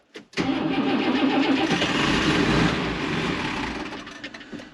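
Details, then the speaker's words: John Deere 3350 tractor diesel after fitting a non-return valve and new hose to the lift pump and priming: long cranking at nearly four turns a second, slow to catch properly; hard cranking with air in the fuel system. "oh yep okay and again"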